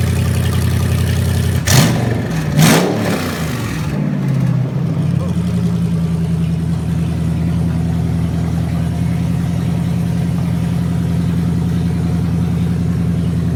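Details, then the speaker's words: Junkyard 2009 5.7 Hemi V8, about 80,000 miles, with Hotwire harness and 09 Challenger PCM, first start on a run stand after priming oil: brief cranking, catches almost at once, settles into steady even idle, no misses or knocks; slight smoke from oiled cylinders. Normal start. "Bit of smoke because this thing hasn't run yet since I got it. I oiled the cylinders down when I was spinning the engine around to check things, and fires right up."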